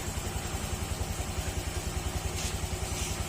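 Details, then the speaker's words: Honda Click 125 V3 scooter, engine recently rebuilt, at idle: steady low tok-tok knock three or four a second over a rough slow idle, set far below the 1,500 ±200 rpm spec; not the tensioner; fix by raising idle via air screw. "sobrang baba yan mga sir malayong malayo sa 1,500 plus 200 talagang magkakaroon ng naking sound sa loob ng makina kapag sobrang baba n Menor"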